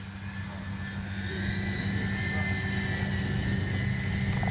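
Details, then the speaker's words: Dynam EMB-312 Tucano RC warbird on its windy maiden flight, with landing flaps deployed: steady high motor whine over heavy wind rumble; the motor is noisy and a replacement is coming. Motor whine. "Landing flaps. I can hear that motor whining. But like I say, they're sending me a new one."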